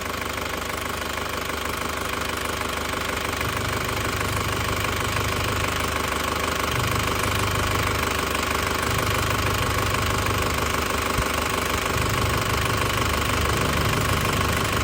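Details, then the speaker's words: Hot 2002 Panther LS Turbo diesel with automatic transmission and 130,000 km. Idle is a steady, even clatter at about three beats a second, smooth and stable with no shaking, a typical old Panther turbo. "Untuk mesin masih halus banget, masih stabil banget ya, masih stabil banget, tanpa goyang sama sekali, masih pulen ya."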